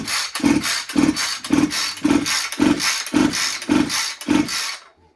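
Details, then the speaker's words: Husqvarna 440 chainsaw about a month old with little use, no start: slow, even recoil pull-over about two a second with no compression bite; gauge reads only 40 psi, low compression, stuck ring suspected. "When I say this thing's got like no compression, I just slapped the recoil back on here, and I mean, you can see, it's nothing."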